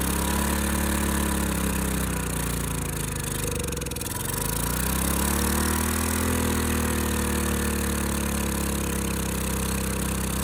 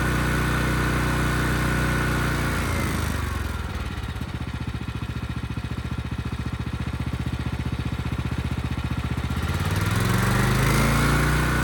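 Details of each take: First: Ridgid generator's Yamaha MZ360 engine, about 10 years old, idle 4 years, first run after carburetor cleaning on starting fluid. It runs steadily but too fast, sagging briefly mid-clip and then picking up: high idle from a sticking throttle. Possibly lean. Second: Ridgid generator's Yamaha MZ360 single-cylinder engine, about 10 years old, unused 4 years, repaired rusted tank and carburetor. Its steady beat dips slightly as the 3,000 W load comes on, then recovers and holds 60 Hz: smooth, normal running.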